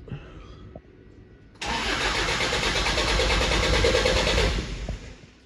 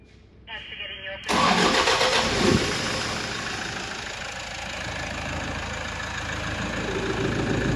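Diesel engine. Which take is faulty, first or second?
first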